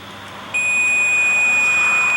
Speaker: if the batteries are too low the unit emits a constant warning beep alerting you to change the batteries